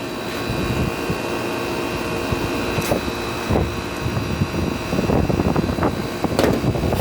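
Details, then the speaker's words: Fedders (Airtemp) air conditioner with Rotorex compressor and badly rotted condenser coil: heavy laboring hum under fan rush, compressor strained, running at too high head pressure due to the rotted coil. "Anyway, if you're thinking it sounds like it's running at too high of head pressure, you're probably correct. Because if you look at this coil here, it's pretty bad."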